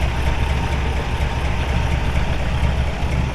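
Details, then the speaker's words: 1950 Oldsmobile Rocket 88 V8, 135 hp rated, Fenton headers and dual exhaust, 12-volt conversion with GM alternator, 6,619 on odometer; deep, even idle burble, purrs like a kitten, no misses or knocks. "Just purrs like a kitten."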